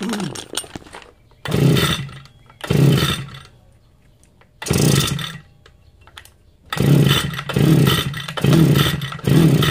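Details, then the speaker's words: Long-unused small two-stroke grass cutter, carburetor opened and checked for a blocked fuel passage, plug checked: engine catches and buzzes in roughly one-second bursts several times, dropping off between them; the engine now starts and runs. "So kalau plug tak ada masalah, kita start, dia akan hidup lah. Jom kita test."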